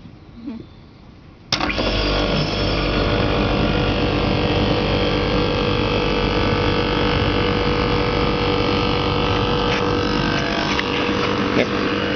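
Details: Email-Air Weatherwall FM61H air conditioner in reverse cycle mode with the cover off; a sharp clack as the large contactor pulls in, then a steady, even compressor hum at a constant tone. Normal running.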